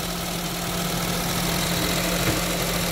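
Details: Honda Jazz after tune-up, just started: steady, quiet idle with a soft even hum, no knocks or misses; engine smooth, like a newly installed engine.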